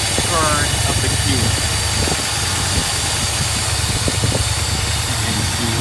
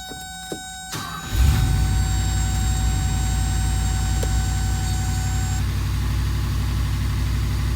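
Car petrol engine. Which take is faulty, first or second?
second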